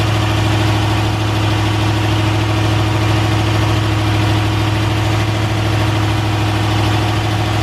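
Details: Honda S2000 with newly installed brand-new replacement LS V8 on conventional break-in oil, first start: steady even idle with smooth low rumble, no knocks or ticks; normal idle.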